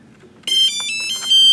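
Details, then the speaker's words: Brushless motor ESC on an STM32 Nucleo L476RG RPM-controller test fixture, just as the 11.1 V battery is connected: a quick run of clean high electronic beeps at different pitches, the ESC's normal startup tune. "and you can hear the ESC play its song."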